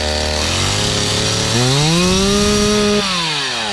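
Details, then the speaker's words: Older Stihl chainsaw from Brush 28, restarted with choke half on and decompression pressed: smooth even buzz rising to steady high pitch once fully running; normal. "Hit my decompression again, and then start it on again until you hear all the way on. Now it's all the way on"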